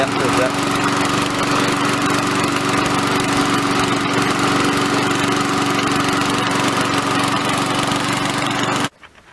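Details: Victa mower engine, will-it-run repair, smoking from muffler: steady, even buzz at constant speed with no misses or knocks until switched off; running properly.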